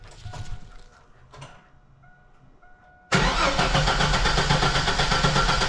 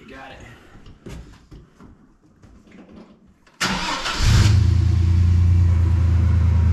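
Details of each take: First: 2000 Chevy S10 ZR2 after a new Delphi fuel pump was installed. Starter spins the engine steadily at about four beats a second but it never catches; crank-no-start, likely because the fuel pump ground at the rear of the truck was disconnected when the bed was off. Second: 2000 Chevy S10 ZR2 with a new Delphi fuel pump, after the bed electrical and fuel pump frame ground were reconnected and the pump was heard priming. Quiet clicks, then it catches within a second and settles to a steady, even low idle with no misses; a normal start and idle.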